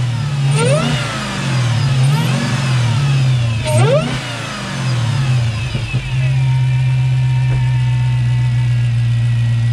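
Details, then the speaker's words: 2015 Chrysler 300 Hellcat conversion with supercharged 6.2 L Hemi, just fitted with a carbon-fibre air intake: deep V8 burble sweeping up in quick blips, dropping cleanly back to steady idle; normal revving. "You can hear the difference already, I think, just from the intake. So, try to rev it up a little bit."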